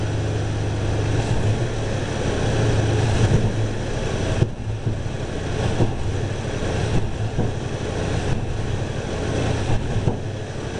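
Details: Timing advanced to about 18–20 degrees (balancer set at 10). Low rumble with sharp pops as the throttle opens. Part-throttle hesitation and a little exhaust backfire; less rich smell than before. Cause not confirmed; leaning the carb is next.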